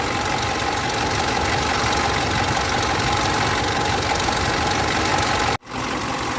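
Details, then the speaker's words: Mitsubishi L200 Triton 3.2 diesel at idle: constant dry metallic rattle over the clatter, loudest at the top of the engine, likened to a rattlesnake inside; timing chain noise. "o barulho da corrente é mais acentuado aqui em cima, tá vendo? Parecendo ter uma cascavel lá dentro."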